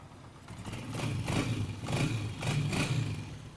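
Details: Honda CG 125 old-model single-cylinder bike after tappet adjustment to factory spec with feeler gauge: steady even low thump, no tapping from head; healthy settled idle.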